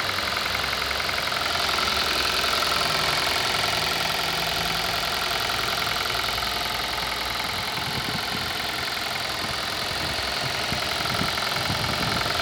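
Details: 2018 Kia Rio at idle: steady idle with a sharp, even tapping of about two to three knocks a second over the engine hum; internal engine knock of unknown cause.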